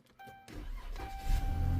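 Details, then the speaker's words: Car that would not start, right after fuel pump replacement, push-button start: short crank, then it catches at once and settles into a steady low rumble. A clean quick start. "Hey, it fired right up. Normally that two second prime would kick in and pump the pressure up there."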